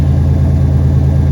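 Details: 1991 Buick idling after the backwards fuel filter was corrected; no leaks, exhaust hanging low. Deep, even idle rumble with a steady low beat, no misses or ticks; running smoothly.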